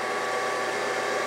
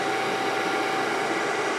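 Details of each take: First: Brown & Sharpe 618 Micro Master surface grinder after topping up hydraulic oil, run 3–5 minutes to circulate: steady, even pump hum, no surging, chatter or knocking; air in the system was the cause, table hydraulics normal. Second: Brown & Sharpe 618 Micro Master surface grinder, hydraulic table on full travel, before adding oil: steady whirring hum with rough churning of the fluid, table pauses and jerks; pump aeration suspected from low hydraulic oil.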